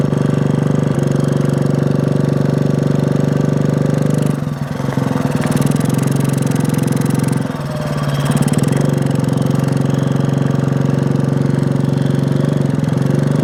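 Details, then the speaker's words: 1965 Honda C100 Cub 50cc single, neglected for decades, kick-started after revival, still needing tuning: putters unevenly, dipping and stumbling twice before picking back up; rough running, cause not confirmed. "still running I don't know when the last time this thing ran was but if you need some work it needs some work but it's running"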